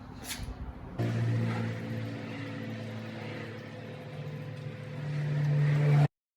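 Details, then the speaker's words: 2006 Buick Rendezvous 3.5: new Delphi fuel pump installed, flow test repeated; steady low electric hum building slightly toward the end with no whine or stutter; flows, about 45 seconds like the old pump. "It's flowing."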